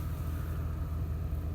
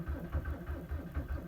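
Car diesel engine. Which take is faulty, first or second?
second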